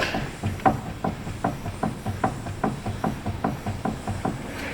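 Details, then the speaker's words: 2017 Hyundai Santa Fe, raised, wheel wiggled by hand: sharp hollow knocks about 2.5 per second from the steering rack support area (ball joint play also present), matching loud clunk when turning and over bumps; TSB 18-ST-003 covers it. "So you can hear that knocking up in there. This side's a little hard to tell because we have a ball joint as well, but it definitely sounds like it's right in that support area when we wiggle the wheel."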